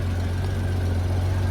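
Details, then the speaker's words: 1994 Honda GL1500 Goldwing Aspencade after fuel pump replacement, warm after running over 20 minutes, no smoke: smooth, steady low idle with even deep burble, no knocks or ticks; normal warm idle, temperature gauge apparently not working. "all right Mike's been running for a little over 20 minutes um"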